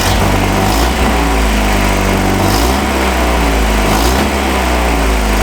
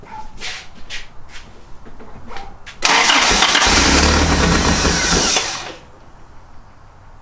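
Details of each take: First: 1986 Toyota 4Runner, after interior and engine harness rewiring (it had failed to start): revving shows a steady, even note with smooth rises on throttle, no knocks or misses; engine sounds healthy. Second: 1986 Toyota 4Runner being revived: two cranking bursts of about three seconds each turn the engine over evenly but it never catches. A spark was seen earlier, and the owner adjusted the air screw and fuel resistor but suspects something else is wrong.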